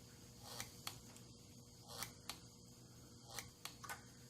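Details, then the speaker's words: 1982 Honda Urban Express with LED turn signals and a red electronic flasher, a load bulb (about 5 ohms) wired in line with the left signal: faint sharp ticks, often in close pairs; the flasher clicks only with the load bulb in circuit. "I have switched the flasher out for an electronic flasher, the red one there. And then I have put this light in line with that left turn signal."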